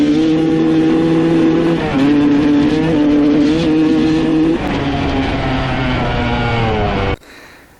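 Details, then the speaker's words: 1995 Honda CR250 two-stroke with stock jetting, needle clip raised one notch to second from top (leaner), power valves confirmed opening: high-pitched note falters and sags as throttle opens; slightly better but still bogging. "right it's still doing the same thing basically um it's a little bit better but uh basically doing the same bogging"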